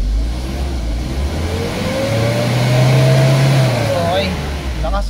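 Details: Hyundai Starex D4CB diesel with a low-power complaint whose turbo had not been audible: after the turbo work, the engine revs with a rising and falling whistle, strong and clean. The turbo now spools properly.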